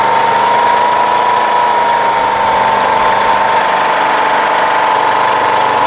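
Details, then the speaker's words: Rebuilt 17.5 HP Briggs OHV single in a Craftsman LTS1500 lawn tractor. It gives a constant high buzz at a fast, steady idle because idle speed is set too high; the throttle is sticky and an adjustment is planned. "let's do an adjustment it's idling very high"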